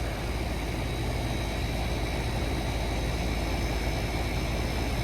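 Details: Goodman AC condensing unit after replacing a restricted liquid-line filter dryer, fixed-piston metering, pressures spot on: steady, even compressor hum with smooth fan rush, no rattles or hissing; running normally.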